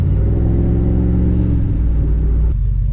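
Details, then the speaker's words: SUV cruising on test drive after tune-up and service: deep, steady, even V8 rumble, no misses or knocks, all eight firing cleanly; normal running engine. "Oh, it's running so sweet, as you can hear. Tune-ups are always one of my favorite things to get done."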